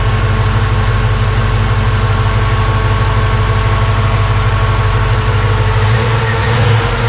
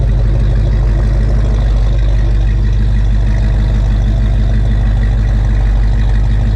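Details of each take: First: 1956 Ford F100 V8 idling after a Holley 4160 4-barrel carb rebuild (list 80457), fans whooshing: a deep, steady idle that seems a little lazy. Owner will recheck timing and may adjust; cause unconfirmed. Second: 1956 Ford F100 idling after a Holley 4160 4-barrel carb rebuild (list 80457): a steady, even low rumble with no stumble or miss. It sounds pretty good, does not smell rich, and setup is close.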